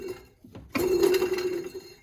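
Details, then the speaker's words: Honda Prelude AC compressor turned by hand with belt off: loose, gritty rattle like a bag of marbles; compressor likely worn out, or possibly just the pulley bearing, unconfirmed. "that sounds like a bag of marbles that's not good a compressor it's probably toast or it might just be the outer portion here on the pulley"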